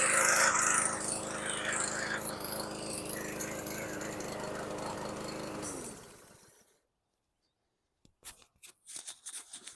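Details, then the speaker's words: Junk scrap-yard lawn mower small engine, filter present, runs a little rough with audible hesitation, uneven beat with dips before winding down and stopping; surprise it ran, carb clean planned (likely fuel-related). "So that was a complete surprise. So it ran a little rough. You could hear the hesitation."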